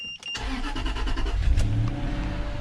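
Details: Land Rover LR3 after cylinder 8 misfire (code P0308) repair with new spark plugs and injectors checked, code cleared: short crank, quick catch, then smooth even idle without stumble or miss; engine starts healthy.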